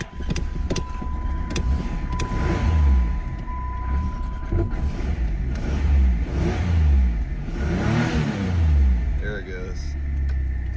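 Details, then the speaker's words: Van stored unused since 2010, first start after new lower radiator hose, battery, coolant and oil: low uneven rumble swelling and sagging every couple of seconds; rough running, owner suspects clogged injectors and old gas. "you know just needed a little while but dang this is crazy got it started up um yeah there's definitely definitely needs to be uh cleaned out in the engine bay injectors probably clogged as hell probably need some new gas"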